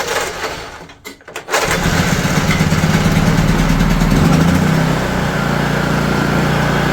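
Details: Honda EU3000is generator that won't start on its electric starter, hand pull-started after flooding, eco mode off: catches and settles into a steady, even low chug with no misses.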